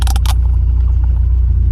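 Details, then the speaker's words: Lowered truck with good oil pressure and temperature: deep, lumpy idle with an uneven low throb, a slight miss down low that clears once above about 1,500 rpm. Cause not pinned down. Low-rpm misfire. "It's got a bit of a mist down low, as you can hear. And then once she gets up over 1.5, it's all good."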